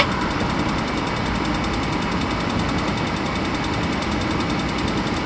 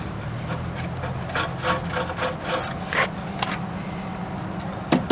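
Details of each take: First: Suburban RV furnace after clearing a blockage that locked the fan and replacing a fuse: smooth, even blower rumble with a steady airy whoosh, no rattles or scraping; normal furnace blower operation. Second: Suburban RV furnace blower wheel spun by hand; uneven scraping rub each turn over a low hum, the wheel catching inside the housing. Owner suspects a bees' nest, not confirmed.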